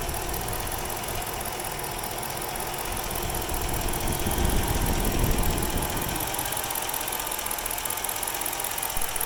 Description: My 06 Chrysler 300 c 5.7 hemi at idle. Has a very rough idle